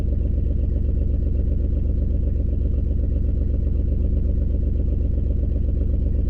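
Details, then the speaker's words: 2003 Ford Escape at idle with a slight shake and a large exhaust leak: regular stumble about 2.5 beats a second; on-board monitor shows a cylinder 4 misfire, and a bad coil is suspected. "So see there how it has a value on cylinder 4. So cylinder 4 is misfire."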